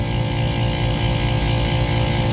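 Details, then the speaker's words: HVAC unit on a 108°F day, 209-210 V supply with a brand new contactor; heavy constant low hum with a gritty edge over the fan noise, compressor sounds rough. "210. So we've got correct voltage. It just sounds like dirt."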